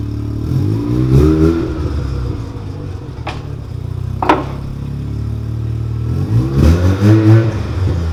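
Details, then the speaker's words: Mazda RX-7 rotary after new parts replaced the straight pipe: two crisp revs over a low, subdued exhaust drone without harsh rasp; much quieter, muffled, still pops. "So as you can hear, the car is much quieter, and I know most people want to make their cars louder, but that was honestly unbearable."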